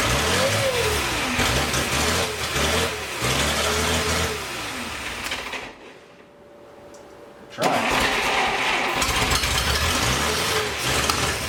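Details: 1941 Plymouth Special Deluxe flathead barn find, rebuilt carb, no fuel supply, fuel poured into carb: cranks and catches, runs ragged and uneven, stumbles, nearly dies, picks up again; fuel starvation.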